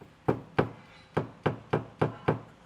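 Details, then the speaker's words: VW Touareg 7L used regularly off-road, heard inside the car: seven sharp, dull clunks about three a second as it changes through the gears, from play in the worn propshaft centre bush; front rubber donut also cracking. "that's what you can hear inside the car when it's changing through the gears and if you can see the reason it's doing that is because this prop Bush that's a lot of play in it"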